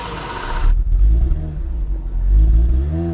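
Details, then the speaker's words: Imported Toyota Soarer with twin-turbo Supra engine, heard from outside, on old gas suspected bad that made it want to stall; light throttle blips rise and fall cleanly with deep even exhaust note; normal revving, needs fresh gas. "yeah there you go sounds good from outside this thing needs some fresh gas"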